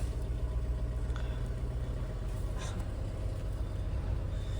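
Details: Audi Q3 idling after repairing a chafed wire to the exhaust pressure control valve (P048E/P048B/P048C). Low, smooth, steady idle with no misfire, ticking or flutter; flap actuation good, no warning lights or DTCs.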